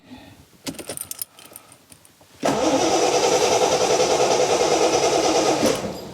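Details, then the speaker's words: TVR 3000M Ford Essex V6 on a lift, first cold start after a new water pump, radiator and hoses: keys rattle, it catches at once and settles into an even idle with no misfire. Oil pressure is good, water temperature low, and it still needs tuning. "that seems to work and i got a good oil pressure that's good water temperature of course is low and everything else seems to work fine and the engine runs fairly smoothly"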